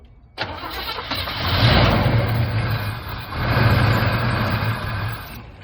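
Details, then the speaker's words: 1975 Chevy C10 V8 sitting since 2003 restarted after 18 years: cranks briefly, fires, two rev blips then back to an even idle; starts and runs healthy. "Been sitting since 2003 and it started. Hit it up again. That thing runs pretty good."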